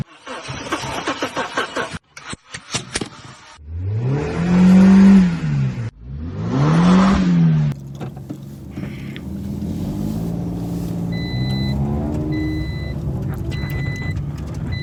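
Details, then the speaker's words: Toyota Aygo / Peugeot 107 / Citroen C1 while driving, engine light off: revs rise and fall, then a steady double-pitched beep repeats about once a second; owner says from experience it signals a worn clutch. "یعنی صدا را وقتی که شما درایو کنید این صدا میاد دیگه. وقتی که صدا تیت کرد بفهمین که کلچم خراب است."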